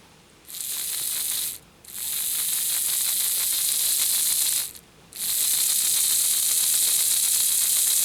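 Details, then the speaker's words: Lima Express Parcels van model railcar drive after fitting a 3D-printed replacement for a broken small gear, run on a battery on the rear contacts, forward then reverse: high buzzy whirr with fine rapid ticking; new gear suspected rubbing on back of wheel, not confirmed. "just looking at the um gear compared to the original and it looks like it's probably rubbing just a bit on the back of the wheel so maybe that wheel just needs to be eased out just a tad"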